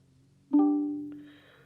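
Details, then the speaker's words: MG ZS EV after comfort software update: one soft, clear chime at ignition on that fades within a second, replacing the old double bong, sometimes quieter; normal ignition-on chime. "I have noticed sometimes it's a much lower volume chime I would say not bong this time slow volume than that the old time you turn it on but most of the time it's that so it's just one much more pleasant chime now than the the double bong"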